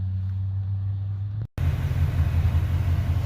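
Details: 1985 Ford Mustang GT Fox-body V8 with T-tops, first drive in years after exhaust fitted and transmission fluid added: deep throaty exhaust rumble holding steady through a brief cut, no knocks or rattles; normal, healthy while driving.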